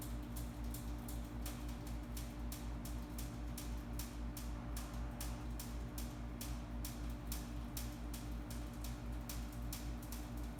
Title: HVAC Crackling Sound